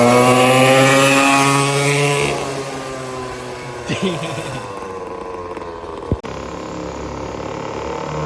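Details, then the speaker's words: Temu 50cc dirt bike fitted with a built high-compression motor in place of the blown stock 49cc motor: it revs hard with a deep, choppy, dirt-bike bark rather than the stock engine's weed-whacker buzz, then settles to a steady idle. Normal running. "But the motor that came with it sounds like a damn weed whacker. The difference in tone is insane."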